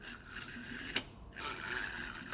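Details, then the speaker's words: Mercedes intake manifold swirl flap motor (Pierburg, A6421500494), removed due to oil leak, no prior limp mode: light, even electric whir between two sharp end-stop clicks, no catching or strain; motor moves freely, no binding. "you can hear it nicely so there's no problem binding or anything"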